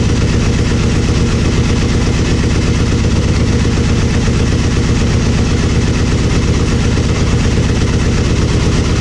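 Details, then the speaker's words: Aprilia Mille R V-twin idling after fuel pressure regulator and adjuster removal and cracked vacuum line repair: steady, even low idle thump, no misses or ticking; fuel pump whines until pressurized, then sounds fine, normal idle. "the fuel pump does make some whiny noise to begin with but when you turn it on it set it sounds it sounds fine I mean it sounds just like my other one did"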